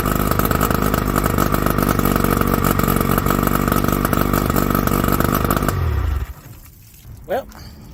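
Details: 1981 Johnson 50 hp two-stroke outboard overheated after an aftermarket water pump kit, which isn't pumping. Running, it gives a busy, even buzz that holds steady without misses or stumbles, then is shut off; both cylinders are firing.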